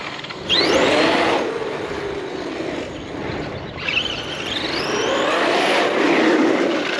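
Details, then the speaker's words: Outcast EXB RC car after hard jump impacts, low-kV motor with cooling fans, motor not heating up: motor whine rising and falling with throttle over rough rut-rut gear growl; pinion-to-spur mesh too tight from impacts, needs resetting. "You can hear rut, rut, rut, rut. That's telling me my mesh is a little tight."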